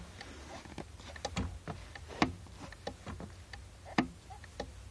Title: Clicking Clutch Pedal | Clicking Noise Clutch Master Cylinder